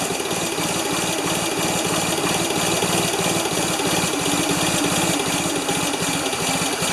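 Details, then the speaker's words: Ford 2600 tractor, plugs 1 and 2 new and plug 3 old, choked with little gas: uneven stumbling beat about three pulses per second; too much fuel flooding, puffing from the intake, owner fears the number one intake valve stuck again. "too much fuel flooding out [Music] hmm why is it not one to run well"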